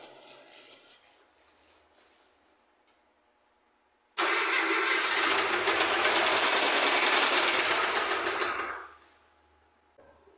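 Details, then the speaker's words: Ford Fiesta Supercharger engine, camera placed close, started briefly: steady harsh knock about three times a second; timing chain guide found broken; suspected spun rod bearing (bronzina girou), not confirmed, engine to be rebuilt. "não são e do ruído pessoal eu acredito que esse motor desfilou né que a bronzina ali girou e desligou"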